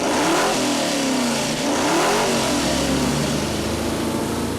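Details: Rebuilt junkyard Mopar 360 small-block V8 on the dyno revs up strongly and settles back with an even tone, no knocks or misses; it revs freely and sounds healthy, with good oil pressure and stable water temperature.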